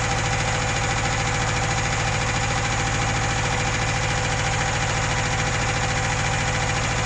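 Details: UZAM 2.0-litre engine with twin Solex carburettors and a 78 camshaft, owner-built, first start with no tuning: lumpy idle with a ragged beat of about three pulses a second; the jets later turned out to be all different sizes, leaving the mixture uneven.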